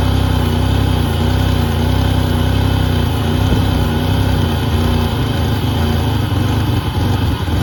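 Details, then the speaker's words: 1988 Pontiac Firebird, GM 2.8 L V6, 230,000 miles, first start after about 13 years sitting: steady even low hum at smooth idle, no knocks or misses; running normally. "all right guys well i'm really impressed you know i really wasn't expecting much"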